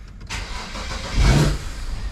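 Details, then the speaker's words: BMW N54 engine during an 800HP fuel system install: fires and flares briefly, then sags and stumbles, won't idle; suspected missing MAP signal, actually a vacuum leak from a loose intake manifold. "okay i think i worked it out somebody might have left the intake manifold loose whoops small mistake i thought it sounded like it wasn't getting the correct map signal and it wasn't"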